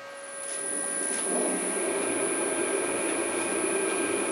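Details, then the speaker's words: Original 1941 Westinghouse 1 HP three-phase motor from a 13" South Bend lathe, after cleaning and new bearings, run on a VFD: a steady, even whir with a faint drive whine and no knocks or grinding. It runs smooth and quiet. "smooth and quiet that's where I like so while she's running a couple pumps of grease in there"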